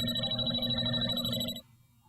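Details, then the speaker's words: JB Industries LD-5000 Prowler refrigerant leak detector at the pinpointed leak source after narrowing slow pendulum sweeps: a fast, bright ringing alarm for about 1.5 seconds, then it cuts off. "there's a leak go back the other way even slower and you can pinpoint the lead so you can see it's kind of a back and forth but slower"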